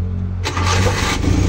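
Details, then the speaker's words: Rusco multicab with a morning hard-start problem, after replacing the whole carburettor following two failed carb overhauls: engine catches at once and settles into a steady low idle with no stumbling; normal start and idle. "Okay na m yun. Bagong karburador na lang."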